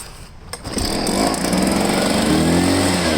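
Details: Echo PB500H blower after a kinked fuel line was fixed, priming well: a couple of pops then a steady high two-stroke howl holding evenly; runs normally.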